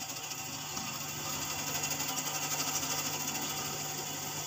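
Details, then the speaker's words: Refrigerator with a partly blocked capillary, thick ice buildup at the capillary end: harsh high hiss pulsing about three times a second as refrigerant sputters through. "semuanya ya dia tuh kental batu esnya itu kental di kapiler di ujung kapilernya itu ada yang kental gitu nah kita tutup saja nah ini sudah kayak mau buntu"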